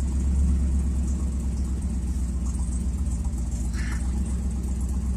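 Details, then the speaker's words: 1978 Chevrolet C10 stepside truck with 307/350 V8 from 1971 Nova, warmed up at idle; deep even rumble, steady low burble, no knocks or misses; good-running healthy engine. "it's nothing special about it but is it good running no truck once you get it warmed up"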